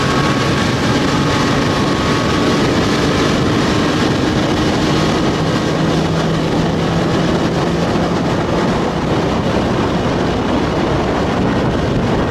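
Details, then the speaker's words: Old outboard underway after new fuel line, primer bulb and fuel pump fixed stalling and bogging: steady, even roar with water and wind noise, no surging, hesitation or dropouts; the fuel pump was the problem. "got my water no hesitation she sounds good baby my problem it's the fuel pump"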